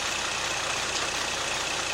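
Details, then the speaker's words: GM 3.6 V6 (Traverse/Enclave family) after timing chain replacement and throttle body cleaning, throttle relearn still due: even, steady hiss and hum with no ticking, rattling or stumbling; idles smoothly. "look look at that thing run guys yeah buddy woo this thing looks good and runs just like it looks good"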